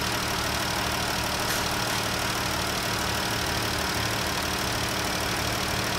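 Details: 2014 Jeep idling after replacing #5 fuel injector, spark plugs and plenum gaskets, during oscilloscope check: steady even idle, smooth unbroken exhaust rhythm, no miss or stumble; engine running cleanly.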